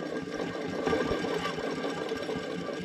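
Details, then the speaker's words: Boom lift engine, newly replaced water pump and thermostat, engine run warm: alternator pulley spun freely by hand gives a faint gritty whirring rattle with no smooth hum; it doesn't sound great, so the alternator and voltage regulator are coming off to inspect the bearings. "doesn't sound great this back here is like a voltage regulator so I'm going to take that off and I'm also going to open up alternator and see if I can see the bearings"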